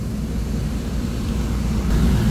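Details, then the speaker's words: Midea package air conditioner after clearing E0 and P2 errors by removing wires from the current protection: blower, outdoor fan and one compressor running together as a steady, even hum, no knocks or rattles; running normally. "So kung makita nyo, umandar na yung blower niya, motor, umandar na yung outdoor fan, umandar na yung compressor."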